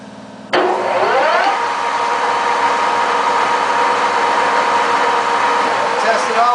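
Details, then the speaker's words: JET 18 x 80 inch gap-bed geared-head lathe, 230 V three-phase 7.5 hp, set to a higher speed: motor kicks in and settles into a steady, even gear hum, no knocks or rattles; all speeds operate well. "all the speeds on it. All the speeds operate very well."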